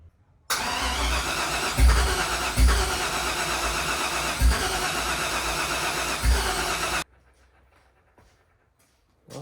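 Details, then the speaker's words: 1968 Ford F100 with an LS swap, first start attempt with sensors missing and the throttle wedged open: steady cranking for about six seconds with only scattered single thumps, firing on one cylinder and running too rich with the MAF unplugged. "all right so the first time I tried to fire it up it was just hitting on one cylinder every time and I was missing a bunch of sensors and stuff but you know I thought it would still run like"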